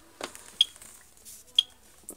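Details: AVISS EVAC type 2b fire alarm panel with mains supply unplugged: short high-pitched beeps about once a second, indicator flashing, over faint handling noise; power supply fault warning.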